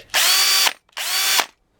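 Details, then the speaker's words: DeWalt drill: two short high-pitched motor whirs, each cutting off almost instantly on trigger release; electric brake stopping the chuck properly. "I find this one's louder it does have a very nice break"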